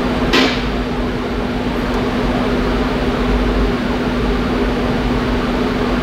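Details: 2014 Infiniti QX60 during engine computer software update for P0101 code, battery around 11.9–12 V: steady whooshing hum and low constant drone of the radiator fan; fan running normally during the update.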